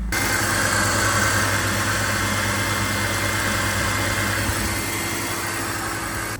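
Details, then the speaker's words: Farm-use BMW E46 warming up to temperature after coolant leak repair: steady, even idle with a smooth low hum and no knocks, misses or squeals; engine sounds super healthy. "Listen to this engine though. It's actually super healthy."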